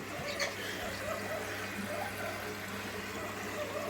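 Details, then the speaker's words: Front-loading automatic washing machine running with back and top covers off, during rinse fill: steady hissing trickle of water swirling through the drawer aperture, no knocks or grinding; normal fill sound. "that noise is just the water got the M it's just Vortex of the sound of the water just going through the apertur"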